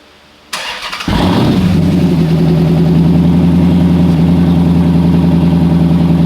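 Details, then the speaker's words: Car with 74,000 miles that sat unstarted over two years: cranks briefly, catches at once and settles to a smooth, even idle with steady low rumble, no misses or knocks; normal start. "Running like a brand new car. This thing only has 74,000 miles on it."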